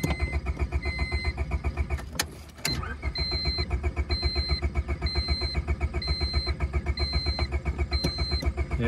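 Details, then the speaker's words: Honda Civic pulled from deep grass, just before ether; starter turns engine evenly about four beats a second, never fires or catches; owner says it's just about done. "i'd say she's just about done all right let's try a little ether that always seems to get things going huh"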